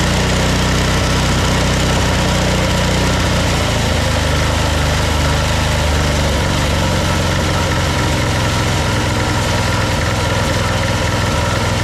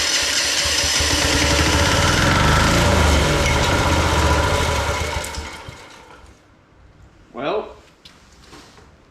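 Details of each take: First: Old military Yanmar diesel portable air compressor after fuel system overhaul and exhaust nuts replaced: loud steady diesel chug with even beat settling after a few seconds; engine runs cleanly and compressor makes air. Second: Old military Yanmar diesel portable air compressor, after a fuel-system overhaul, new air filter and compressor oil top-up, first start with an exhaust nut missing. It catches and runs evenly about five seconds, then sags and dies. Cause unclear; the owner doubts the exhaust.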